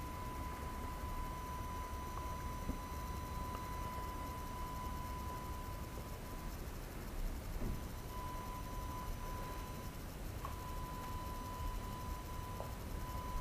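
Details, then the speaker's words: AFI VS-3SG 3-axis handheld gimbal recorded at night with no surrounding sound: a thin, steady high-pitched whine from the stabilising motors, clearly audible in recorded video. "we'll see uh what that sound uh is like the sound this gimbal Mak so I'm just going to show you an other clip I shot at night so there was no surrounding sounds"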